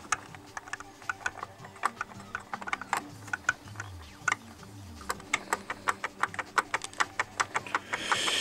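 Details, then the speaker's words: Logitech MOMO force-feedback wheel with its brushed motor, opened before servicing: uneven plastic clicking and ratcheting over a faint motor whir. Owner suspects the gear mesh and plans to tighten parts and seat the gear deeper. "тут много чего может шуметь все это на подтянуть затянуть"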